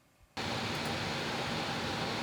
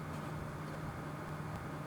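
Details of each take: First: Stock Corsair PC radiator fans alone, other case fans off: a steady, loud rushing whoosh with a faint hum, no ticking or rattle, reading about 52–60 dB; the loud radiator fans are simply noisy. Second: PC radiator after swapping the stock Corsair fans for BeQuiet Light Wings, other case fans off, mic in the case: smooth, steady low hum with no ticking or rattle, averaging almost 10 dB quieter than the old fans; normal fan running.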